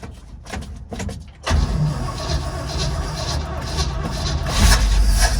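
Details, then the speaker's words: 1948 GMC COE cabover truck after many years sitting, in neutral, clutch in, electric fuel pump on, primed with gasoline: after clicks, engine fires at about 1.5 seconds into a rough uneven low rumble; fuel pump audible. "Wow, it fires. Woo! I hear the fuel pump running."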